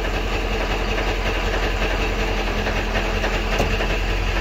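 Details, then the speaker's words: Powerstroke 7.3 diesel idling in park or neutral: a loose, uneven metallic rattle from the bell housing rides over the low engine clatter, also heard when coasting to a stop; it goes away in reverse, and the transmission is to be pulled to check. "I guess we're about to hit my daughter's car you can probably hear that now it's starting to rattle"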